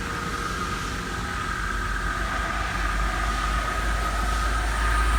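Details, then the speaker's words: Metal-axe series 2400 rental vibration unit ramping on a post weldment after weld conditioning: a deep drone with a steady high whine building in loudness, stopping the process early; resonance near 76–78, clamps tight; cause unknown. "during the ramp it's stopping the process early and making some weird sounds"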